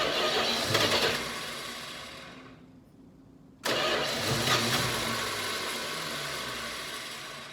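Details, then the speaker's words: Dodge Charger, 318 V8, new Amazon carburetor, cold garage: it catches, fires roughly, dies for a second, then catches again and settles to an uneven idle. It is reluctant to start cold; the owner suspects the carb or fouling plugs, unconfirmed. "but then i went somewhere and she wouldn't start up i don't know if the carb is out of whack or maybe the spark plugs are starting to foul up on me so i'll crank her over see if i get it fired up"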